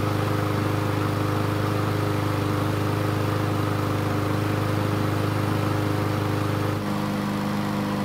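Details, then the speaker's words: Yard Machines mower, carb not properly cleaned, owner suspects that caused the poor startup. Small engine drones at a low, lazy speed, note shifting near the end: running slow and rough, cause unconfirmed. "so that was a very interesting startup if you hadn't guessed it that poor startup was probably a result of me not taking the carb off for a proper cleaning"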